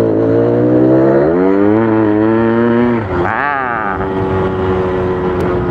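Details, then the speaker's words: Yamaha RX King two-stroke, clutch set with very little engagement, speed test at high throttle: revs climb and flare, then surge again without steady pull; clutch slips at high revs. "ini belum ngopling jadi emang dibikin sedikit banget jadi karena Ada kemungkinan ini kalau gas Tinggi selipah"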